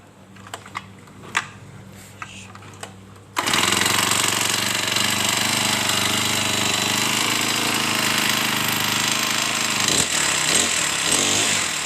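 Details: Honda GX35 brush cutter after a new air filter (the old clogged one restricted carburetor fuel flow) and tuning: a few clicks, then it fires and holds a steady, high, buzzy run with no stumbling or dying.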